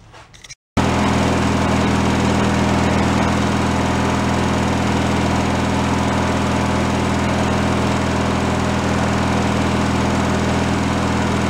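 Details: Free derelict Craftsman riding mower single-cylinder engine, started by key on fresh fuel after repairs, warming up before an oil change: smooth steady idle hum, no stumbling or surging; normal idle.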